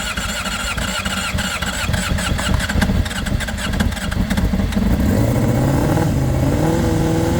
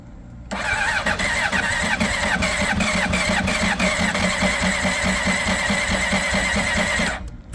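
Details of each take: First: 2005 Honda CBR600RR, about 38,000–40,000 miles, first start with battery boosted: runs cleanly and picks up sharply through several revs with no misses or knocks; some blue smoke at start and an antifreeze leak noted afterwards. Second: 2005 Honda CBR600RR, about 38,000–40,000 miles, long stored, first start attempt on its battery; starter churns about six seconds in uneven, labouring pulses without firing; owner suspects a weak battery, and with a booster it then started.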